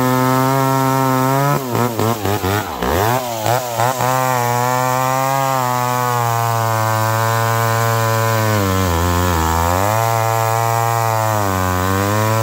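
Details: McCulloch Pro Mac 1010 chainsaw cutting wet wood with a dull chain, high jet barely open. The high two-stroke scream drops and wavers in the cut, then climbs back free, bogging under load. Much improved but not 100%.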